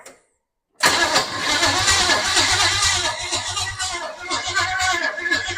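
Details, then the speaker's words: 1929 Model A truck with a replacement engine: uneven cranking about two beats a second with rough kickback against the starter and no firing. Timing may be too far advanced, and it may lack fuel. "I don't think we're have fuel in it again it still F sound like it was trting to kick on itself kick back on itself"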